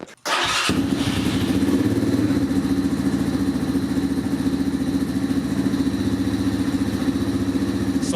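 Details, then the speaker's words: Apollo DB36 Deluxe single after replacing cracked intake manifold, cold weather start on full choke: cranks briefly, catches and settles into steady even putter, sounds good. Normal cold start. "So it looks like full choke did the trick. Like I said, it's really cold."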